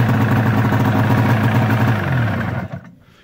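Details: 1999 Arctic Cat ZR 600 EFI two-stroke snowmobile with the throttle safety switch disconnected as a workaround: even, steady idle burble, then cut off cleanly with the key; no misfire or stumble.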